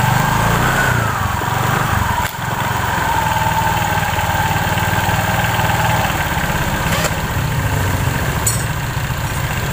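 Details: Scooter CVT after replacing damaged drive belt, with loose sliding piece shimmed to stop clacking; even idle with steady drive whir, no rattling or clacking from belt side; normal CVT running.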